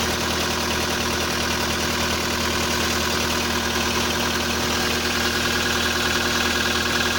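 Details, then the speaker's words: VW Polo sedan, CFNA engine, 193,500 km, cold start at −30° with the clutch pressed. Quick light ticking of about 200 per minute over a steady hum: hydraulic lifter noise, no piston knock. "Я кроме гидрокомпенсаторов ничего не слышу, никаких поршней."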